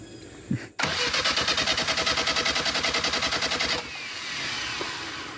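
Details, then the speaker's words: Willys CJ2A Jeep, first-start attempt with coil wire refitted: starter churns steadily about three and a half beats a second for three seconds, never catches; owners suspect the carburetor bowl isn't full yet, and ignition timing is uncertain. "Maybe the bowl's not full yet. Might take a minute, right?"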